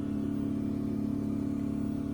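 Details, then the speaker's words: Baxi boiler with only the heating on, losing pressure daily: loud, steady low droning hum that stops when the heating is switched off; pump suspected, cause not confirmed. "Can you hear the horrendous [Music] noise? So, all that's on at the minute is the heating. Now, if we knock it off, noise stops."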